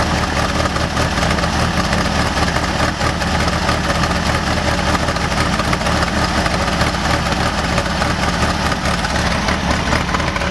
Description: My VW 1600dp idles like crap!!!!!! rebuilt, rebushed Solex 34 PICT 3, New SVDA dizzy, cap, and rotor, new wires and plugs still idles like popcorn.